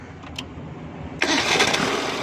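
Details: Petrol car started without its fuel pump, fed from a bottle of petrol, after running well on the road: engine catches first try and settles into a steady even idle with no misses; runs fine.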